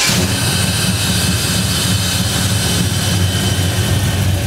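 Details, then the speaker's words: 1965 Chevelle SS V8 after a Holley Terminator throttle-body EFI install, cold start after sitting overnight at about 78–82°F with no pedal pumping or long cranking; it catches at once into a steady, even, loud rumble with no stumble or misfire; normal cold start and idle. "what you'll notice is that we didn't have to crank it and crank it and Pump Fuel into it we didn't have to pump the gas pedal or do anything"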